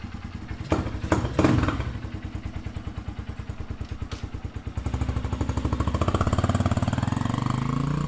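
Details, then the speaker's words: Honda XR150L after intake mod and carb rejet from 105 to 115 main jet, at 550 ft elevation: steady single-cylinder idle thump then clean revving off idle, with the former top-end rattle gone. "Off idle seems fine. Sounds good. I didn't hear any of the rattle on the top end like you used to."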